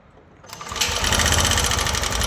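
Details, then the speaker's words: TVS Jupiter 125 scooter with 25,000 km catches right after start and settles into a busy, rattly idle with fast ticking on top; excessive engine noise, cause unclear. "तो भाई यह है JPT 125 TVS का देख सकते हैं आप 25,000 कि.मी. चल चुका है और इसमें जो है इंजन में से बहुत ज्यादा साउंड आ रहा है।"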